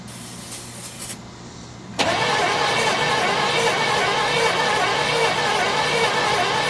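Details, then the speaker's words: 1972 Chevelle Malibu, original small block with automatic, not run in 15 years: the starter turns the engine over at a steady regular pace but it never catches. Cranks, no start; a screwdriver spark test then showed no spark. "we're going to spin the engine and see if we see a spark which we do not so we need to make sure we're getting spark"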